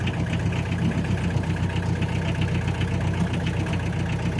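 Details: Fiat Premier Padmini under restoration, just started after being cleaned, oil low: steady, even low idle with a smooth rumble and no knocks or misses; engine running cleanly.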